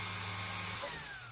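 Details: Philips hand mixer, freshly greased gearbox: even smooth hum speeding up as the grease settles, no rattle or grinding, then spins down cleanly; healthy.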